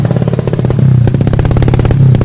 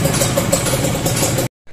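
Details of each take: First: Carbureted motorcycle with oversized main jet set rich: runs with a heavy, thick, slightly boggy note at steady throttle; rich running from oversized main jet. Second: Two-stroke motorcycle with carburettor pilot jet correctly sized: brisk even burble with steady crisp pops, throttle response matching the sound, no misses or hunting; normal idle.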